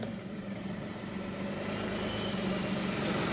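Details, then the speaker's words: Scrap SEAT Ibiza, manual gearbox, first drive pulling away: harsh rough drone building steadily with a gritty uneven undertone, sounds awful but moving; cause not pinned down. "manual I mean manual there we go this sounds awful but it's moving which is a start"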